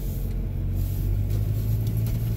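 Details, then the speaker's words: Mazda, about 12°C, driving over potholes after zip-tying the loose right-side front under shell damaged on a snowbank: steady road rumble with no clunk, rub or rattle from underneath; no underbody rattle over bumps. "we're back here going over bumps again seeing if tying down the under shell helps and temperature is roughly 12 positive looks like no noise"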